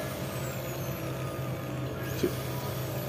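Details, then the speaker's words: Bosch electric drill that kept cutting in and out, after repair with the carbon brushes checked and the cover refitted; steady motor hum at one even pitch with no cutting out while the cord is tested, now running normally. "Iya sudah terengar ya kita coba kabelnya tidak ada kendala lagi sudah hidup normal"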